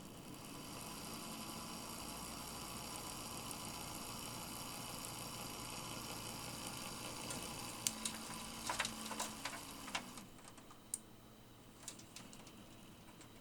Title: a seriously bad fan bearing.